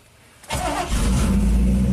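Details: 1987 GMC Sierra V8 plow truck after the distributor's spark module was removed, its base scraped clean and reinstalled: quick crank, catches at once and settles into a steady, even low rumble with no stumble. Healthy start; a bad ground at the module was suspected.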